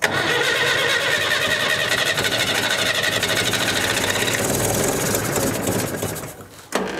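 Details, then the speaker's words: 1965 Datsun 320 pickup, sat over 30 years, gravity-fed fuel, choked, possibly low on fuel: engine cranks and catches roughly, runs ragged a few seconds, then stumbles and dies; engine flooded. "flooded it somewhat go [Music] ahead died on me it may not have enough there"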